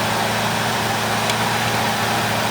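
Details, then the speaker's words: 1977 Lincoln auction find that had not run in decades, first start: very quiet, smooth V8 idle with soft even hum and no ticks, knocks or misfires; healthy engine. "This is the most quiet car I've ever seen. Oh, no doubt. No doubt. This thing's ridiculous."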